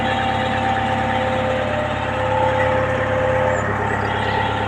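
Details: Sunward SWE50 mini excavator diesel after battery relay replacement for a hard-start complaint: steady, even idle with a constant drone and no knocks or misses; running smoothly, unit ready for operation.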